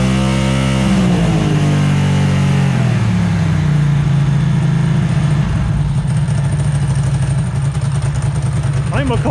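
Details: Ducati ST2 2V V-twin warmed up (64°C) during throttle body balance adjustment; revs rise and fall cleanly with throttle; horizontal cylinder trails briefly then comes good, balance judged pretty good.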